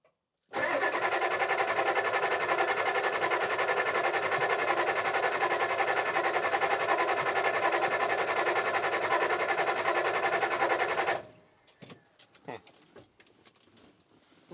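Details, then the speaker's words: 1987 Ford F350 6.9 IDI diesel auction truck that turns over but won't run: about ten seconds of steady cranking that never catches. An air bubble was seen in the fuel, and the whole system likely needs bleeding. "let's see here there's still air in there okay let's do that a few times and see my guess is that we'll have to kind of bleed the entire system but we got a little life out of it that time so let's try it again"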